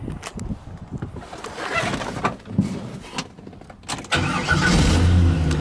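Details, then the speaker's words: 2000 Corvette C5 LS1 V8, 345 hp, 96,591 miles, automatic transmission, 40 psi oil pressure: clicks, then it catches instantly and settles into a strong, even idle; normal cold start, no knocks, ticks or leaks. "engine starts right up"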